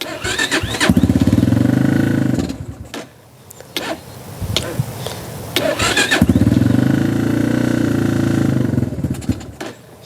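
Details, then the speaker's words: XR150 clone single-cylinder bike with a weak battery and rusted chain, started on the backup kickstart: catches briefly, sputters and fades, then fires again unevenly. Hard starting; owner suspects the carburetor needs cleaning. "Looks like the carburetor might need to be cleaned."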